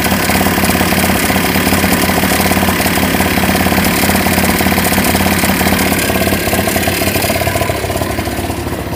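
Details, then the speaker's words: 1988 Honda Vision Met-in 50cc (SA50) two-stroke scooter after carb cleaning, kick-started: fast, steady idle buzz easing down slightly toward the end; idle set too high, about to be adjusted. "oh it's running okay it's quite a high idle let me see if I can adjust it one sec"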